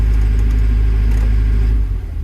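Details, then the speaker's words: Develon DX62 four-cylinder diesel digger that wouldn't start, running on all 4 after cylinder cut-out test, debris in metering unit, rail pressure erratic: loud low idle with lumpy uneven beat and vibration; misfire, mechanic suspects damaged injectors, not confirmed. "She's not running the sweetest, like. There's definitely a misfire because I'm getting like a vibration."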